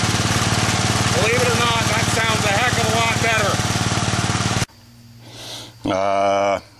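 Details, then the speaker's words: Engine running after the loose drive belt was repositioned and tightened, belt then jumped off to expose the idler pulley; even, steady beat with no squeal or slap, sounds much better. Normal running. "let's jump the belt off and go like that and then you can see the pulley and that sounds a hell of a lot better"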